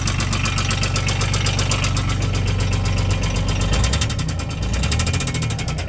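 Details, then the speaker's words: Polaris crew cab UTV with 1000cc 3-cylinder Yanmar diesel that ran out of oil after the drive shaft wore through the oil filter, possibly due to a bad motor mount; at idle a heavy, uneven knock about four times a second follows engine speed; owner thinks cylinder 1 is gone. "It's got a knock because the drive shaft wore through the oil filter and they run out of oil."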